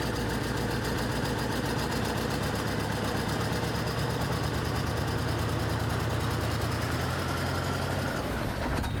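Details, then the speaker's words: 1982 Ford Econoline-chassis RV V8 with white smoke, mostly coolant, slight oil smell: loping, uneven idle with a wavering pulse, nearly dying, from a blown head gasket. "ht, that's a lot of white smoke. It's not really that black. So I don't think it's oil, I think it's just coolant. Or mostly coolant."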